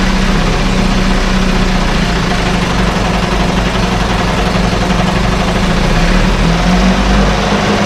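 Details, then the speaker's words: 1968 Evinrude Fastwin outboard, run in a test tank with no work done; steady, even two-stroke burble at idle, no misses, knocks or rattles; normal idle. "wow whoa folks i'm impressed this this whole thing runs runs like a dang top"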